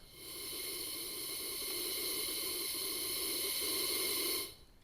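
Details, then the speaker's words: Central Pneumatic 3-gallon, 1/3 HP, 100 PSI oil-free pancake compressor, about five years old, that won't build past roughly 30-35 psi and keeps running: a steady motor drone with a constant airy hiss near the outlet. A bad fitting is suspected. Air leak hiss. "you can hear that so I think we've got a bad fitting there I'm gonna replace that fitting next"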